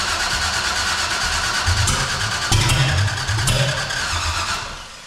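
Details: 454 big-block V8 in a Civic, new out-of-box carburetor, temporary fuel and ignition, early test fire: starter churning with ragged catches that never settle; partial firing on some cylinders.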